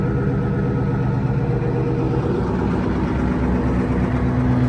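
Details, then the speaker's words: FV432 APC diesel: steady, even low rumble with no knocks or misses; no oil leaks seen, nothing wrong; normal idle. "Nothing wrong with that, is there?"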